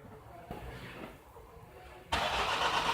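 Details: 2011 Nissan X-Trail dCi common-rail diesel that is hard to start. Rail pressure reaches about 200 bar while cranking. After a quiet stretch the starter churns loudly and roughly, cranking long without catching.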